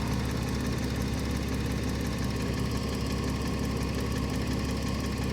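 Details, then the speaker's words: Porsche Cayman S horizontally opposed engine at idle, heard from the rear sides: a light, quick ticking that is louder on one side; the owner first suspected lifters or low oil, and the cause is unconfirmed. "I mean you definitely hear the tapping let's go over to the other side remember this is a horizontally opposed engine so definitely hear it more over here"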